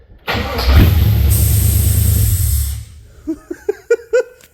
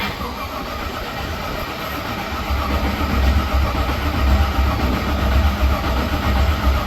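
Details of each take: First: Holden HQ Monaro after a sump conversion and new oil filter, oil drained and galleries possibly unprimed, started after a soldered power fix: starter turns briefly, engine catches at once and runs steadily, then a few clunks; owner then hears a vacuum leak. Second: HQ Monaro with a sump conversion, after a backed-out E5 fuse terminal was found: steady rhythmic cranking at close to four pulses a second for eight seconds that never fires. Crank, no start, with no spark.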